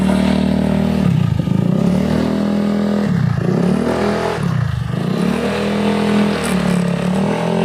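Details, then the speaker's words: Honda Beat carburetor scooter CVT: rough grinding rattle swelling and dipping with each throttle blip under acceleration, tested by the owner riding; worn rear pulley shaft in the CVT. "nah seperti itu ya teman-teman pada kondisi motor Beat ini pada bagian CVT nya dia terjadi atau terdengar truk atau ngeresek kalau bahasa Sundanya ya seperti itu"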